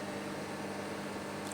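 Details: Amplifier with a 20-amp transformer: a steady soft hiss and faint low tone underneath, with no loud mains hum once the transformer center tap (CT) wire is reconnected.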